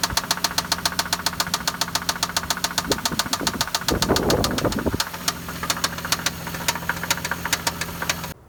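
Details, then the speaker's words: 1997 Toyota Land Cruiser FJ80: sharp metallic knocks about twice a second at idle turn into a lighter clinking near the end, so the knock is inconsistent; the owner suspects a sticking valve hitting a piston or a wrist pin and plans to pull the pan. "So you caught at the end of that video that the knock kind of changed, the pitch went cling, cling, cling, cling, cling, cling, okay?"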